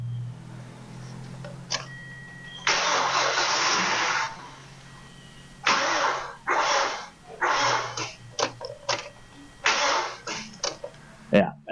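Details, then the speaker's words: 2014 Hyundai Sonata that seizes when revved once warm, belt off, starter drawing about 800 amps: short cranking bursts turning slowly and heavily, never firing; plugs dry, cylinders clear; seized internal bearing suspected, transmission side less likely. "that thing is not turning that fast so locked up tight plugs are all dry there's nothing in the cylinders causing this problem it is basically a stock engine um so there's a bearing inside seized stuck"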